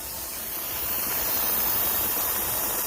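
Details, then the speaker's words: Nesco smart canner canning potatoes, 10-minute venting stage (display shows E10, not an error) before switching toggle to airtight: steady, even hiss of steam rising slightly, no sputter or whistle; normal venting. "You can't see the steam well, but it's venting right now."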